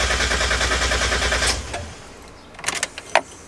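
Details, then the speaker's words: 1990–1993 Miata with newly installed SpeedyEFI plug-and-play standalone ECU: fuel pump primes, then steady starter cranking about three turns a second, never catches. "let's try and fire it up all right here we go speedy if I first start hopefully huh okay well that was the fuel pump let's try it nothing"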